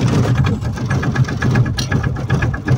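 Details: Aixam microcar's engine, just restarted after stalling and a hard start, runs with an uneven, lumpy idle, irregular pulses and a faint tick on top; cause not confirmed.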